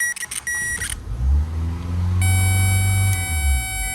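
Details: 2002 Mitsubishi Lancer with intermittent no-crank: chime and key rattle, then starter turns and engine catches and runs smoothly; normal crank and start.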